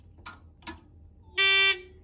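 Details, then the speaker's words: Edwards 6616 fire alarm control panel made in 1997, repaired, with the initiating circuit shorted and set to code three; the relay clicks out the code with two short buzzes, then a clean steady high-pitched horn, alarm output working normally. "I did set it to code three so here the relay clicking out the code it can do code three and March Time code"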